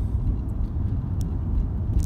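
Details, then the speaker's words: VW Golf with vibration through the steering wheel at low speed: heavy uneven low rumble while rolling slowly, caused by a series of bulges within the tyre. "we have a tire is amazing in shape has got a series of bulges within the tire [Music] so that's definitely what's causing the vibration"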